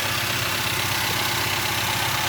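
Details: Toyota Avanza first start after engine overhaul, warming up as idle speed drops to target while checking for leaks underneath: smooth even idle, steady low hum, no ticking, knocking or hunting; settling and running healthy.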